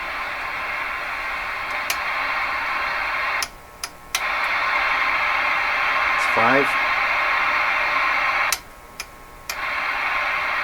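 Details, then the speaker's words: Johnson Messenger tube CB radio after replacing molded capacitors, tested on receive: even hiss that cuts cleanly in and out as the squelch opens and closes; squelch has a fair bit of free play. Normal-sounding receiver. "squelch has a fair bit of free play in it now that's good okay seems pretty normal"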